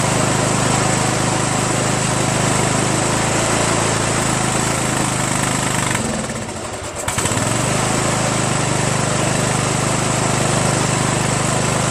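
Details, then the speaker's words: 1996 Craftsman LT1000 42 hydro lawn tractor, first run after new reproduction Nikki carburetor and starter, fuel mixture not yet adjusted: single-cylinder engine runs steady and even with one brief dip and quick recovery; running well. "but how about that guys huh engine runs"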